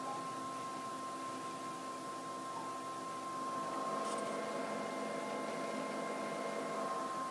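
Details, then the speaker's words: PowerMac G4 MDD (dual 867 MHz G4) booting: steady, loud fan whir and hiss with a few fixed tones, no knocking or surging, from the two small power supply fans; noisy but normal. "you can hear it is a very noisy computer that's mainly due to two small power supply fans that it has"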